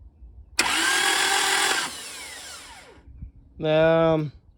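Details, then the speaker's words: Toyota Celica GT, bought as a non-runner; fuel pump heard priming slightly, fuel present. Harsh, rough cranking over a second, winding down unevenly without catching; won't start, sounds unhealthy; onlooker thinks it needs an engine, cause unconfirmed. "let's just try and crank it all right just for the heck of it foreign that don't sound good yeah yeah oh man that's not good"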